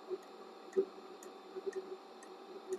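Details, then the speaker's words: Diesel heater running very hot on setting 1, about 255–260 °C at the front, with a thermocouple in the burn chamber: sharp, even fuel-pump ticks about twice a second over a quiet burner, running smoothly. "you can hear it's making a nice noise I don't know why this other microphone is picking it up"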